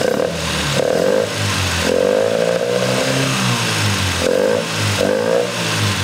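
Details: MGB GT after replacing the faulty Lumenition ignition module, cylinders 2 and 3 now firing: engine revved up and down several times, picks up crisply and drops back smoothly, no misfire or stumble; normal revving.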